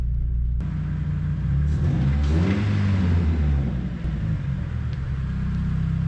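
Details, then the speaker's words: First-gen Neon, sitting 15 years, first drive after first start, no power steering, clutch feels good, exhaust not yet done; engine pulls and revs smoothly, low drone rising and settling evenly, no knocks or ticks; normal running. "The motor sounds good to me, so I feel comfortable moving forward,"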